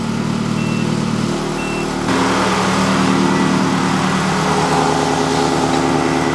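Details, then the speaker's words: Ferrari-engined Alfa Romeo 105 build, running after reinstallation, with an overheating and cooling fan test pending. The engine runs smoothly with a subdued exhaust note and no popping or rattles. The tone is still not Ferrari-like, which the owner blames on his home-built headers. "I think we have our sound sorted. The tone of the exhaust is still not sounding Ferrari-like, but I think that is mostly down to my headers."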